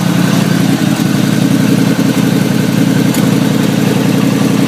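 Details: 1989 Chevy Caprice after a thermostat replacement and an exhaust leak repair; steady, even low rumble with no misses or knocks and a smooth, settled idle.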